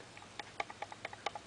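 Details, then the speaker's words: 1980 XL-5 electric guitar with Bad Ass bridge and DiMarzio pickups, going out of tune: light irregular metallic ticks as bridge is wiggled; bridge parts loose and rattling, suspected as main cause. "that's loose I think that's probably a lot of the issue I hate this bridge but I'm not going to change it"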